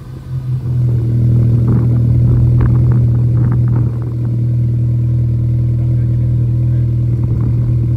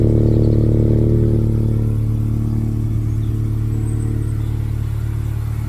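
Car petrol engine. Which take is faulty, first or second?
second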